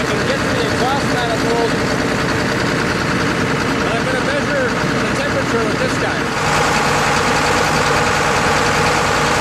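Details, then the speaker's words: John Deere 9600 combine diesel warming up, with blue smoke, fuel-diluted oil and a 37E code: lumpy idle under the clatter with one cylinder intermittently dropping out, a subtle partial miss rather than a full one; the injector was later found worn out. "but um it's definitely missing, but it's it's not like a full miss where it's like not not quite. It's a little more subtle than that."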